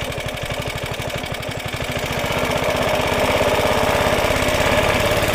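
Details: Roughly 70-year-old Suffolk Super Punch 17-inch cylinder mower, SIF 75cc cast-iron engine, after carb and points clean, drive engaged; steady even thump firming slightly as the drive takes load; healthy smooth running, drive works.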